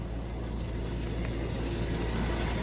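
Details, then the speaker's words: Old fire truck engine running with new fuel pump and added fuel pressure regulator, checked while chasing a metal-on-metal grinding noise; steady, even hum with light sewing-machine patter, no knocks or misses; normal engine running. "you see that thing sound like sound just like a sewing machine in there running doesn't it"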